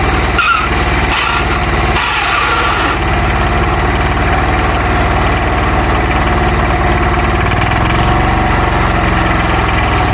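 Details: Hatz diesel on homemade Sears garden tractor; a few loud catches while picking up, then steady even chug at low idle with no knocks or misfires: normal idle.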